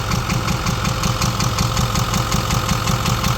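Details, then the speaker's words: Ford 6.4 Powerstroke diesel with check engine light, idling: a sharp regular tick and intake popping about three a second. The rocker tick is judged too loud to be normal and suspected faulty; valve covers not yet removed to inspect. "You could hear the popping and the rocker. The rocker is not doing its function. It's too loud to be a regular rocker."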